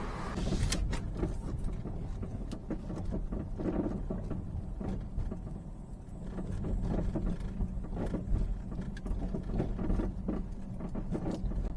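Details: Peugeot 308 driving over uneven pavement: irregular dull knocks over low road rumble, unaffected by braking; front shocks dead and a lower arm damaged but ruled out; traced to worn sway bar end link.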